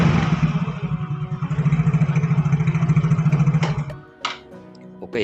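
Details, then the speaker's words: Yamaha Fino automatic scooter after CVT service: crisp even throttle blips, steady beat, the earlier crackling or banging from the CVT gone; road test still pending. "you can no longer hear the banging sound, Bro, and now we just have to try the road test."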